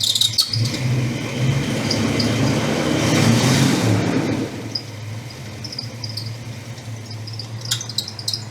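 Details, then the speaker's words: 1962 Ford Thunderbird V8 idling with a steady rumble and sharp, high chirpy squeaks coming and going, traced to a bad alternator pulley; the squeak was gone after the pulley was replaced. "Come on, you can do it. Ah, I'll have to fix that squeak. I can't handle it."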